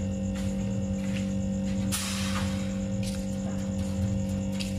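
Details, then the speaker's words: Refrigerator that stopped cooling after two compressor replacements, newly fitted compressor running: steady loud droning hum growing very harsh, roaring; the compressor labours because refrigerant circulation is restricted by a narrowing or blockage. "nah ini untuk kompresor di sini sudah mulai Meraung teman-teman ya Jadi udah mulai Kasar banget suaranya"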